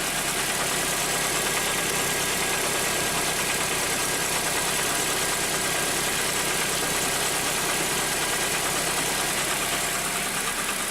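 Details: Idling petrol engine with a quick, uneven knock, about three a second, from a torn A/C compressor belt flapping; first suspected ignition coils/leads.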